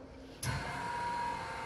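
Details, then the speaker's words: Kellenberger 600U universal cylindrical grinder, configured for 480 volts, oil pump switched on; the pump starts abruptly and holds a steady even hum with a clean mid-pitched whine, no knocks, healthy running. "That's the pump running."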